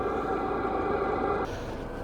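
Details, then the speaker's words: Chinese diesel night heater in a camper van on its high setting, microphone outside at the exhaust; steady, fairly loud, even hum that quietens when turned down; normal exhaust. "so that is the exhaust and I've done nothing here on this mic it is quite loud"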